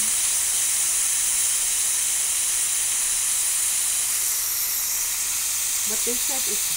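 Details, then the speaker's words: Afghan Kazan pressure cooker on a wood campfire after cooking: valve lifted to release steam instead of waiting 40–60 minutes for natural decompression; loud, steady hiss throughout; normal quick pressure release. "or two you can do what i'm gonna do and that is i'm gonna just release the steam"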